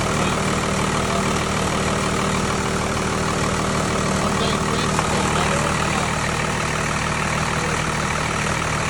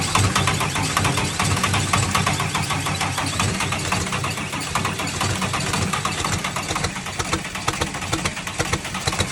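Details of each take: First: Tucker Sno-Cat with 5.9 Cummins 12-valve diesel, sat over a month after stalling and would only crank (fuel pickup screen suspected), now started: steady, even clatter with a low drone, no misses or stumbles, settling into a smooth idle; normal idle. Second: Tucker Sno-Cat diesel that stalled and sat over a month, then only cranked: after bleeding air from the injector lines it gives heavy, uneven chugging with cylinders starting to fire, but it doesn't catch.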